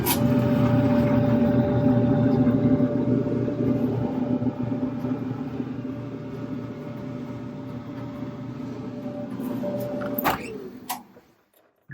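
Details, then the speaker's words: Maytag Performa PYET444AYW dryer after replacing the belt (drum had stopped turning after shoes jammed it): steady even motor hum with smooth drum rumble, no thumps or squeal, until switched off; healthy operation. "turning just fine good to go"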